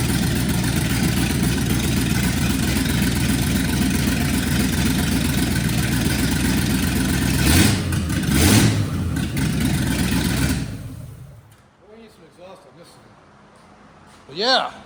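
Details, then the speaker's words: Junkyard 1969 Chevy C10 small-block V8, open exhaust, just fired after spark fix and leak repair: loud unmuffled rumble with uneven firing and blips, then shuts off; owner suspects carb still not right, possibly vacuum leak; rough running. "Something still ain't quite right with the carb."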